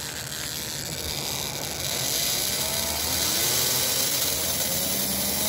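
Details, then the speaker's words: Chassis with ball-bearing axles: whirring rasp with a whine rising with motor speed, clearing up around 12 V; inner bearing verified stationary, wheel wobble ruled out; a dry bushing needs oil. "All right. I got to put some oil in there somewhere, it sounds like."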